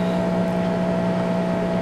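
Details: New Danby 50-pint dehumidifier's built-in drain pump draining through a long drain hose: steady mid-pitched electric hum with an even tone, no rattles or grinding; normal condensate pump operation.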